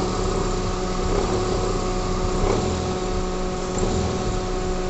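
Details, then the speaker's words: Toyota Corolla engine idling in drive with AC on, revved: low, uneven, thick rattling buzz from the poly-V belt tensioner damper vibrating; the noise stops when the damper is held with a wrench. "o barulho volta então muito provável Esse barulho tá vendo exatamente no amortecedor Zinho lá que faz o tensionamento da corrente da corrente não né da correia e ele tá vibrando lá"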